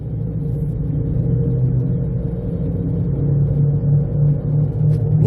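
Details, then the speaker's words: 2007 Jeep Compass just out of storage, while driving: steady low droning hum with grinding; owner suspects both wheel bearings went bad from sitting, brakes thought unlikely; unconfirmed. "as you can hear it's freaking horrific it sounds like they're grinding and humming and everything you can think of"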